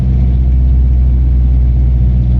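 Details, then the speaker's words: Turbo Nissan 240SX with shop-vac hose intake and vacuum-hose fix: steady even low rumble, no stumble or dropouts, no longer constantly dying; exhaust vibrates at blow-off RPM; running well. "But you can definitely tell it's way better than last time, and it's not constantly dying. So I'm gonna call this a huge success."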